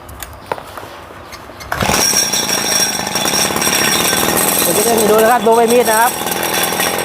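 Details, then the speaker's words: RBC 411 four-stroke brush cutter: engine revs freely and climbs in pitch with no load; blade won't turn even when throttled because the clutch bowl is broken. "อาการก็คือใบมีดไม่หมุนนะครับใบมีดติดเครื่องแล้วไม่หมุนนะครับเร่งก็ไม่หมุนนะครับ"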